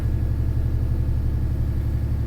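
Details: Cummins 6.7 ISB diesel in a school bus conversion after ECM swap (fixing intermittent failure, worse at full throttle): steady, even low rumble at idle, no knocks or misses; engine healthy, though oil pressure reads implausibly high, sensor suspected.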